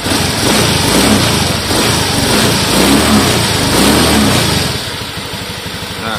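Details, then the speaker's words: Honda Scoopy (donut) scooter after 130cc bore-up with Dickspeed racing camshaft, not yet mapped: quick revs rising and falling cleanly with a smooth, even note, far smoother than the very rough sound it arrived with; normal revving. "tapi untuk suara mesin di sini udah halus ya jadi jauh banget sama yang pertama datang"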